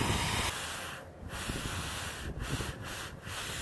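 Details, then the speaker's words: Old air compressor, rated to 100 psi, just rewired, never reaching cutoff or shutting off: steady airy hiss over the compressor hum, dipping a few times; air escaping on the tank plumbing, leak stops when a fitting is pressed down. "as you can hear sounds like there's i feel like there's air coming out of there"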